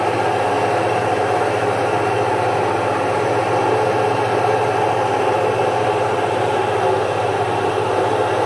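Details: Single-phase 1 HP domestic stone-type atta chakki (flour mill) grinding jowar after stones retightened to grinding position: constant even motor hum, steady low drone and soft grinding rustle, no knocks or pitch changes; normal grinding operation.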